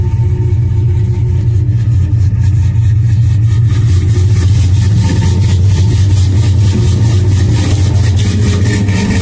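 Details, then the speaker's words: 2002 GMC Sierra V8 cold start after sitting a couple of days: deep, even rumble, steady and smooth with no ticking or knocking riding over it; healthy idle. "have a little hoola girl shaking up here so anyway man that sounds good doesn't it"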